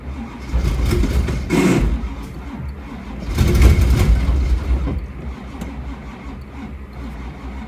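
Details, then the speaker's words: 1985 Camaro Z28 cold start at about two degrees or colder, on small jumper cables, carburetors have no chokes; long cranking with uneven bursts that almost fire then fade, cranks but won't start, cold and missing chokes suspected. "I think that's the end Wow I don't think she's gonna go it's like kind of there but kind of not it is [ __ ] cold out it doesn't help there's zero chokes on the carburetors"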